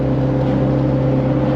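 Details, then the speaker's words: Jeep XJ being revived, now with sway bars and exhaust, while driving: a steady low droning groan under the engine; owner suspects a roasted rear differential. "However, you can hear that big groaning noise. I think I roasted the rear diff."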